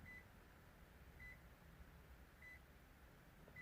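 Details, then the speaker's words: 2007 Toyota RAV4 with keyless entry and start, after poor connections in its plugs were found and fixed: four short, clear high beeps about 1.2 seconds apart at the driver's side as the key is detected normally. "Oh, look. I can hear it already. And the key starts flash. Can you hear the beep?"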